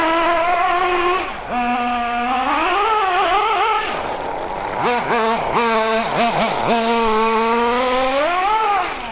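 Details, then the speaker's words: Nitro RC car (MP9, not a new engine) during high-speed needle tuning, after adding fuel back from an overly lean setting: high buzz revving up and down cleanly and pulling hard without bogging; normal running. "We'll give a bit back, and I reckon then we'll be rolling. We're flying like a kite. Woo! Flying!"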